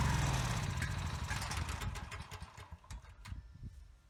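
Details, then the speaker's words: Husky generator during a governor speed adjustment, targeting about 61 Hz at no load. The engine catches briefly, then the firing pulses thin out and die; it won't stay running even on choke, cause unknown. "Okay, so now it won't stay running. Even on choke, it only runs for about a second."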